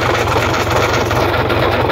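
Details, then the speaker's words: Gardner diesel engine idling: rough, rapid rattling rumble from the front as the slack timing chain slaps; chain needs tensioning. "so i'll fire up now and i'll let you hear uh the slap in the chain"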